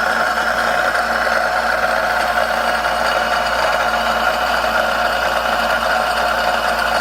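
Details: Cincinnati D1 Toolmaster mill under restoration, spindle switched on: steady hum with a constant whine and faint uneven rumbling; a worn bearing or bushing in the variable-speed pulley, which is loose, is suspected, not confirmed; spindle noise.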